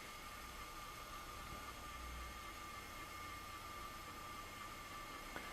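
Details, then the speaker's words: NSK Endo-Mate TC2 cordless endodontic handpiece during high-torque calibration with calibration burr in calibration unit: faint steady high whine at one pitch, no stutter or grinding; motor turning smoothly, normal calibration run. "insert the burr into the calibration unit like so, one press on the button, and hold the handpiece and the calibration unit tight as it will begin to rotate."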